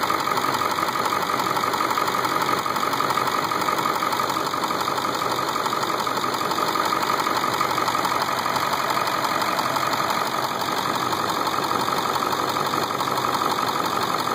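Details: Ford 7.3 diesel at idle: even, crisp clatter around three ticks a second, perfectly steady; owner first thought it was a knock, but after 3 years and 70k more miles it proved normal injection noise.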